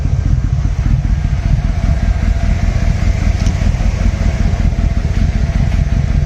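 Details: 1996 Yamaha Royal Star Tour Classic V4, 29,000 miles, sat about a year, running on jumper cables: lumpy uneven beat that stumbles as the throttle opens; owner suspects bad old fuel, battery also weak.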